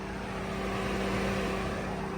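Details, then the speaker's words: 2011 Crown Victoria manual-swapped V8 idling up to temperature, not overheating: steady whooshing radiator fan with low hum running seemingly constantly; fan replacement considered. "it's not overheating but the fan runs seems like constantly uh so we're going to have to get that figured out"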